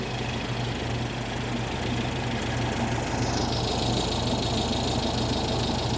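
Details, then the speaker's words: 1973 VW Super Beetle 1760cc flat-four with dual 40s, valves not yet adjusted (No. 3 exhaust very loose), engine still warm, no throttle connected; steady idle with light valvetrain clatter, no more clanging or banging; normal idle. "sounds so much happier that it's not, you know, clanging, banking, and, you know, clanging, banging, and making all sorts of noises. This sounds good."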